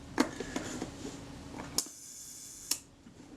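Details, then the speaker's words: Kodak Retina Reflex S shutter after moving the retard gear train inward to slow it: crisp click, short even buzz of the slow-speed gear train, closing snap; timing now sounds right, normal slow shutter speed. "That sounds a bit more credible. Okay, so that's good."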